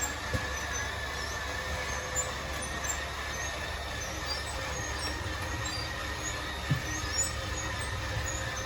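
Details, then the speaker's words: 2013 Crossroads Sunset 29SS travel trailer: steady electric motor drone with a faint high whine as the slide-out room extends after its button is pressed; the motors wind out and cut out when fully extended. Normal slide-out motor operation. "so there you go. You heard those motors wind out and cut out. That means that it is fully extended."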